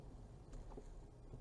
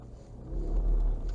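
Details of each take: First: Ford Fusion EcoBoost AWD after repair of its rear drive system: tight turn with acceleration produces only a steady low engine note. The rear shudder when turning and accelerating is gone. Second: Ford Fusion EcoBoost AWD turning tight under power on asphalt: low throbbing rumble and vibration from the rear drive system, only when pulling, during maneuvers and roundabouts; rear differential judder.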